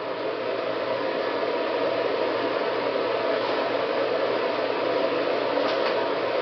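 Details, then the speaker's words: Ventline V2262 bathroom exhaust fan after DIY replacement of dead motor with Endurance Pro EP670 120V universal blower motor: smooth steady airy whir, no rattles or grinding; strong suction, fast airflow; normal running. "he's got really good suction I can feel the air moving through I was really really fast it's a good fan"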